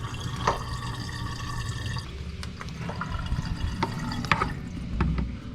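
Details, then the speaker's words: Frigidaire PLD2850RDC2 dishwasher after drain pump replacement, cycle cancelled to drain: steady low pump hum with water gurgling and splashing; new drain pump pushing water out normally. "and there's our pump and here it is I haven't heard that in a while yeah"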